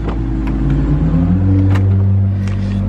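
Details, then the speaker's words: BMW with check engine light, scan showing mass air flow sensor fault: low engine drone whose pitch wavers instead of holding steady, rough idle; MAF sensor suspected, not confirmed. "you can hear the rough idle too"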